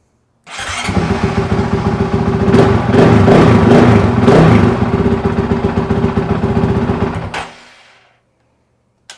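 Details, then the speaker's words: Honda CRF450RL with intermittent no-start blamed on the fuel pump, after the fix: fuel pump primes, engine catches at once and settles into an even, crisp single-cylinder idle; starts fine. "yeah primed right up"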